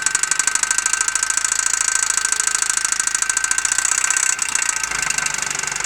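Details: Opel Zafira A OPC engine at idle: fast, even, sharp ticking over a quiet idle that keeps time with the engine; engine ticking, source not identified.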